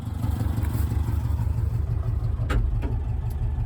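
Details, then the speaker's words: 1984 Subaru Brat 4-speed dual-range 4WD, sat about 10 years, now revived and running; slow heavy uneven chugging with deep pulses, idling only about 200 rpm, idle speed needs turning up. "I need to turn your idle up a little bit is what I need to do. Because she's only idling at 200."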